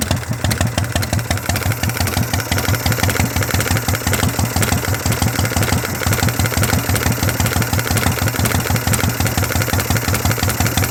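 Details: 1982 Harley shovelhead, first-crank start: loud, lumpy V-twin idle with an uneven potato beat around three per second, steady and strong; normal, healthy idle.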